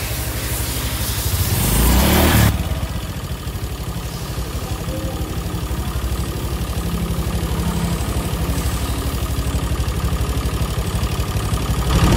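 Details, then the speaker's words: Honda Vario (KZR) scooter that also overheats easily, idling with a rough, rapid valve-train ticking; the valve guides were worn loose and the intake and exhaust rocker arms had been installed swapped. "Ternyata bener aja setelah kita cek sound suara berisiknya tuh kedengeran banget ya guys ya."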